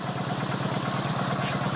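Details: Kawasaki VN900 Classic V-twin after charging-system work, in garage: steady even lope with firm low beat, no odd knocks; 13-14 volts measured, alternator and regulator working; normal idle.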